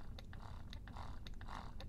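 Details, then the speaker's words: Medela Swing breast pump after repair (apparently only a blown fuse): soft motor hum with gentle suction pulse about twice a second, even and unbroken, ramping up to likely maximum suction; working normally. "there we go I can hear that wow really ramping this that's probably that's probably Max now can really hear that"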